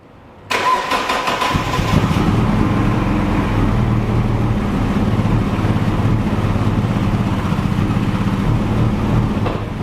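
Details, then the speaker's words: Cheap Mazda MX-5 track-day car: catches quickly, then settles into an uneven, lumpy idle with a wavering beat instead of a smooth hum; rough idle, cause not yet found, to be investigated. "you can hear, our cheap and cheerful MX-5 is running rather lumpy, and it's something we hope to look into more and cure in the next episode."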